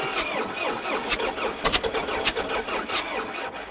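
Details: Diesel T-40 tractor: uneven bursts about two a second at irregular spacing as it cranks and fires only sporadically, never settling; hard start, smoking. Owner blames the battery; leaks also blowing from the engine.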